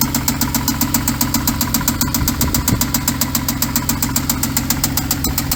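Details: 2014 Hyundai Genesis Coupe BK2, 3.8L GDI DOHC V6, automatic, 84,821 miles: sharp even knocking about 220 a minute over the idle, steady; deep internal engine knock, engine considered done.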